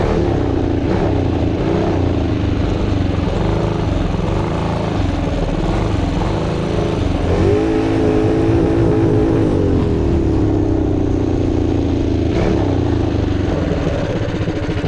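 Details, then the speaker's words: Monster Moto mini bike with 228cc Tillotson racing engine (about 23 hp) and torque converter: loud single-cylinder holding mid-range revs with ragged stumbling beat; breaking up at mid RPM, fuel flow believed good. "Like it was Breaking up at high RPM or Yeah. middle RPM? Yeah. Do we have good fuel flow? We should. We should have good fuel flow. We were having some mid RPM running issues."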